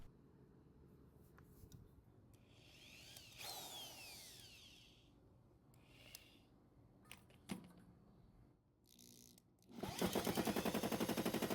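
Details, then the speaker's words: Small Honda engine run low on oil most of its life, cranked during compression test (about 160 PSI): rapid heavy knocking as the crankshaft hits the top of the block; worn upper crankshaft main bearing support. "well as you can hear from that knocking sound that's the crankshaft hitting the top of the block"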